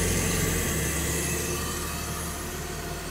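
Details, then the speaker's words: 1977 Lucas-equipped V12 classic car after swapping a failed newer coil for the original 1977 Lucas coil, winter start-up; settles into an even idle with a steady low drone, no misses or knocks; normal idle, fault was the coil. "But yeah, it's running. So it ended up being a coil."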